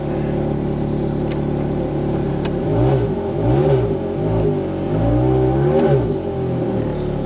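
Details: Wrecked Ferrari 430 Scuderia restarted after battery reset: steady idle then quick blips climbing and falling cleanly with no misses or clatter; engine runs healthy.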